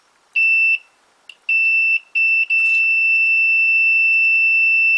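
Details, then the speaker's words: Old Hornby Class 101 three-car DMU model loco that stopped running: steady multimeter continuity beep on a direct wire connection, reading dropping to 3, 2, 1.8 ohms; good connection. "Now that's a direct connection, it's not going through anything there. I've got down to 3 ohms, 2 ohms, 1.8."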